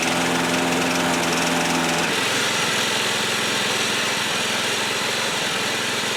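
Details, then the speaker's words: Old John Deere 14SB push mower, trash find, rope instead of missing recoil, carb only removed and inspected, at half throttle: note changes abruptly then runs unevenly with a ragged beat; owner thinks the carburetor needs a rebuild. "I think the carb needs a rebuild [Music] now you guys can see everything I'm doing he so the carb more than likely needs to be rebuilt that doesn't surprise me"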